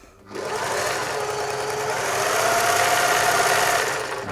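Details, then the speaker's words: German-made Singer 631G/611G sewing machine after a full service and foot controller repair, sewing a wide diamond satin stitch from the BS special cam: a smooth, quick whirr with about three needle beats per second. "Let's go for a wider stitch. It's a diamond type pattern there. Yeah, it does quite a nice job. Nice satin stitch."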